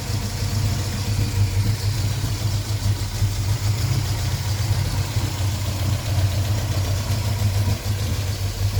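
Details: 1973 Volvo 142 B20 Sport with dual SU HIF6 carburettors: a low, lumpy, wavering rough idle with the engine stumbling at tickover. The rough idle was caused by fuel pressure being too high.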